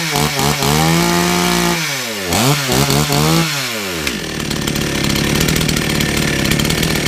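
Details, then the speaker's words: Two-stroke chainsaw that had been sitting unused for some time, started on choke: revs up and drops back in sweeps, then steady buzzing run; chain now oiling properly, but the chain brake only stops partly, not 100%. Weak chain brake, not audible. "There's a nice oil line just there, which is where the chain is now dispersing oil as it should do. However, the brake is stopping to a degree, but it's still not quite 100%"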